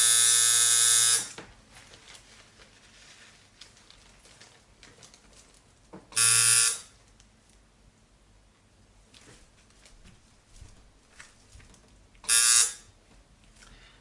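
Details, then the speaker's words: Coil tattoo machine lining on practice mats: three short, harsh buzzing bursts. The operator suspects it is running way too strong, saying a well-tuned machine should run around 4.8 volts or lower. "i believe that much i even think that this machine is running way too strong"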